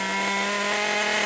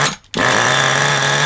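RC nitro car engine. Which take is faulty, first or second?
second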